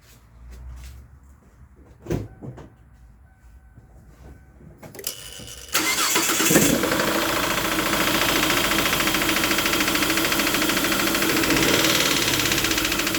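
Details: Kia with P0301/P0303/P0305 misfires, after replacing plug wires and rear spark plugs, cold start: catches after a few cranks, then an uneven stumbling idle. Misfire persists; fuel problem suspected next.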